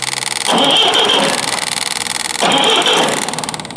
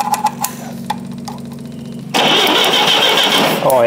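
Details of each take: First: Forklift engine cranked right after new ignition points were fitted, to check for spark: two short bursts of raspy starter cranking, engine turns over but never fires. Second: Repaired forklift engine cranking about three and a half beats a second, then catching after a jump start and settling into a bright steady run; normal start with brand-new ignition points installed, spark restored.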